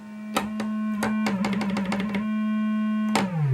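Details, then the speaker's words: Rare Minitmoog synthesizer as received, before repair, aftertouch off. A steady low tone with key clicks steps in pitch, then slides down. Owner suspects the filter is oscillating too hard; unconfirmed. Only a single filter tone sounds. "I think the filter is just too hard an oscillation. So I have to figure that out."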